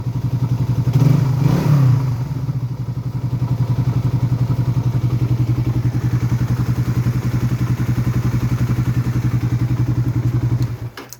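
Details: Raider 150 FI idling just after replacing connecting rod and whole cylinder head: steady idle with regular light tick about four per second following engine speed; owner asks whether normal, source not pinned down.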